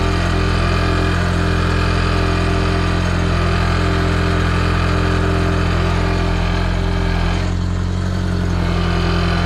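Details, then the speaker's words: Audi TT MK1 turbo at idle after manifold gasket work with turbo top bolts left off, throwing exhaust alignment out: faint metallic buzz as the exhaust bracket catches the subframe and rattles. "basically what's happened is um I've upset the exhaust because I haven't done the um the top boat the top bolts on the turbo um and that's sent the alignment on the exhaust out"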